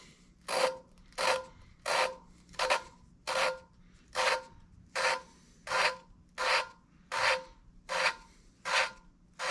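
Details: 454 big block head, valve hand-lapped with fresh compound: gritty rasping strokes about 81 a minute, grit expected to smooth out as lapping continues; coarse grit stage.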